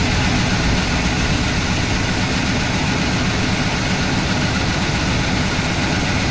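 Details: IHC/Blazer wrecker, previously no-start, after battery recharge and timing adjustment: loud, steady low V8 rumble with even beat and no misses; now starts and idles smoothly.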